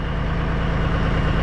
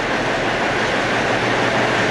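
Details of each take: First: Cabover diesel "Kenny" after setting the injectors and valves, warmed up with the smoke cleared, before a drive: a steady, even low rumble at idle with no knocks or misses; a normal, healthy idle. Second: Peterbilt cabover diesel "Kenny", first run after setting the injectors and valves, smoky and not yet warm in the shop: fast, loud clatter with a sharp ticking puff about three per second; an exhaust leak.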